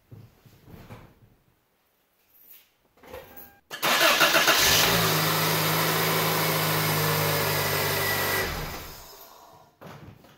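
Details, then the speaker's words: 5.9L diesel pickup started on a 2p SPIM08HP lithium pouch-cell pack drawing 419 A inrush: brisk crank that catches almost instantly and settles to a steady, even idle with no hesitation, just like the regular battery. "was pretty cool that sounded like a perfect start it didn't even hesitate at all that's exactly how it sounds when the regular battery starts"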